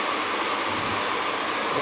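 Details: Gas boiler just after its flue vent damper was replaced; the damper opens, the end switch makes and the boiler fires. Steady, even burner roar with a faint constant tone and no popping or rumble: normal firing after the repair.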